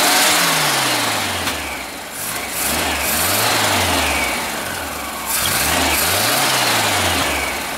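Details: 1974 Super Beetle rebuilt air-cooled flat-four after reinstall, with a larger drilled carb jet and bad gas: idles smoothly and revs cleanly several times with no stumble, backfire or misfire.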